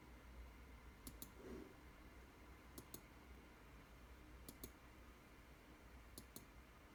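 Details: Asus G701VIK laptop: quiet room hum with soft double clicks repeating roughly every second and a half; odd internal clicking, source unknown.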